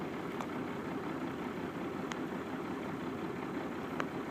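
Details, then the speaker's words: 1995 12V Cummins diesel, about 313,000 miles, at idle: heavy, uneven drone shaking the shifter and vibrating the dashboard, with power loss; caused by a failing fuel overflow check valve, and replacing it restored a smooth idle. "however the last year or so I've noticed that the idle's just gotten rougher and rougher and the power's kind of tapered off compared to what it's always been"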